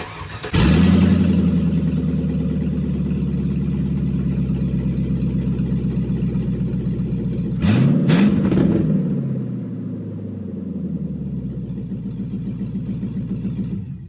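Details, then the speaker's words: 2002 GMC Sierra Z71, 5.3L LM7 V8, Y-pipe and catalytic converters removed before a long-tube header install: cranks and catches into a loud, rapid, raw burble, blips sharply near eight seconds, then settles; open exhaust. "well with the Y pipe and the cats off this thing I can't not fire this thing up and listen to it open headers"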